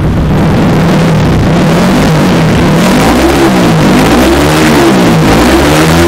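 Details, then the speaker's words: Motorcycle engine with new BRT Super Bearing head, after calibration, free revving in neutral: pitch climbs fast and falls cleanly, no knock or rattle; quick rev rise credited to the bearing-type head. "Untuk RPM-nya cukup cepat sekali naiknya karena pengaruh apa? Karena pengaruh dari head yang model bearing ini."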